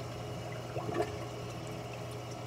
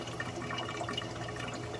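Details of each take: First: Clear Water Scrubbers CW-50 algae scrubber on a Red Sea Reefer 250, half-inch feed line squeezed to cut flow: faint steady pump hum and a brief trickle, drain silent with no gurgling; excess flow suspected as the cause of the noise. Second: Clear Water Scrubbers CW-50 algae scrubber on a Red Sea Reefer 250, fed about 185 gph (rated 200): continuous bubbly gurgling and sloshing over a low hum as the drain bulkhead sucks air; owner suspects too much flow.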